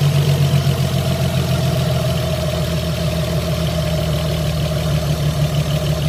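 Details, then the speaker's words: Opel V6 after the noisy idler/deflection pulley was repaired: a steady low idle with an even pulse and no squeal or rumble left from the pulley; normal quiet idle. "man nichts mehr also schön ruhig so das war jetzt das mit der rolle"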